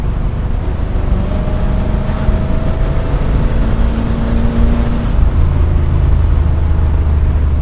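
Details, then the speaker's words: 1970 Chevelle SS 402 V8 after fuel pump changes to fix stumbling, binaural in-car recording, moderate and light throttle: deep steady rumble holding even through throttle changes, no stumble, shifting better: normal running while driving. "yeah no issues to speak of thus far everything seems to be going good shifting a lot better at least for the moderate throttle and light"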